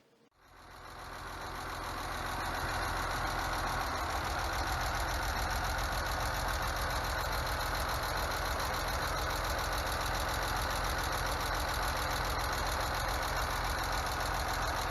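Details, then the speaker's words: BMW E46 at steady idle right after an oil change (dirty oil, sludge in filter cap): rapid even top-end ticking about 3.5 per second; owner suspects a collapsed lifter and pulls the top end to inspect the valvetrain, cause unconfirmed. "that sounds like a collapsed lifter so i guess it's time to pull apart the top end and check out the valve train"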